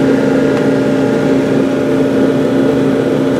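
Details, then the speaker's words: Gas clothes dryer running with steady motor hum as igniter glows and gas valve coils clunk open to light the burner, normal ignition cycle; shown in context of replacing gas valve coils. "Hot enough, you'll hear these things clunk. Let the gas through. There you are. That's how a dryer works."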